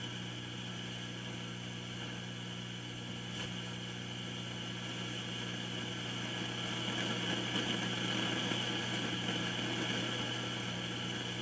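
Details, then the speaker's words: Kay K550 amplifier: steady mains hum under hiss that swells and crackles as a faulty resistor is heated with a soldering iron, then dies down as it cools, confirming a noisy resistor. "hear how noisy that's getting so i'll let that cool down listen you can hear it dying down"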